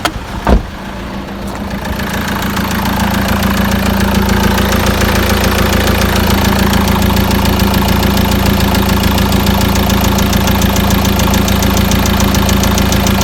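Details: Peugeot Boxer 2.2 turbo diesel at about 420,000–426,000 km, cold start: steady idle with a sharp regular knock about twice a second; owner suspects a worn weak-point part, cause unconfirmed.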